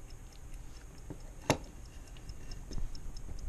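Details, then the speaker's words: 1955 Ford original electrically wound dashboard clock, revived with WD-40 after 18+ years, running out of the car: quiet, evenly spaced ticks as the points open and it winds; normal clock ticking. "I'm going to pull this back to the magnet plate and you'll see the points open up again there you go you see see those open up right there there you go you can probably hear it ticking ticking"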